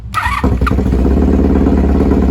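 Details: 1982 Honda Magna V45 VF750C, cold start without choke: brief crank, then it catches at once and settles into a quick, even idle with no stumbling; a clean, healthy cold start.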